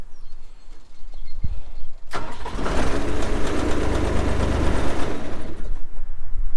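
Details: John Deere 250 skid loader diesel after wire-brushing battery terminals and replacing cracked positive cable end: a few seconds quiet, then fires at once and settles into steady even idle; clean start, owner hopes the starting fault is fixed.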